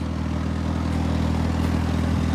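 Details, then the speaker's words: 1985.5 Pininfarina Spidereuropa (Fiat) cold start on a cool day: a steady idle with a raw, puffing exhaust note and a faint chuff at the firing rate; exhaust leak where the pipe into the resonator is not hooked up. "can hear that the exhaust may or may not be coming out where it should right now. But again, we'll fix that in the near future."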